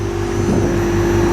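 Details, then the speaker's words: Lennox heat pump in heating mode, winter; outdoor fans restarted after Altivar 21 variable frequency drive OL1 fault bypassed, only two fans on other drive turning; constant mid-pitched hum over steady rumble, no rubbing or rattle; running. "On le voit là, l'hipiote rouge n'est pas allumé, et là on peut constater qu'il fonctionne, déjà on entend au bruit, et donc là il marche."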